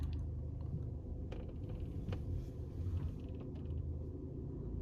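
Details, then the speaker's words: Faint creaks and light knocks near the door trim on both sides while driving over steady road rumble; door latch area found completely dry; door latch rattle. "كأنه صوت بالديكور هنا، كأنه يعني صوت تحسه قريب منك بالمنطقة هذه بالضبط. طبعا برضو في بالجهة الثانية سامعينه."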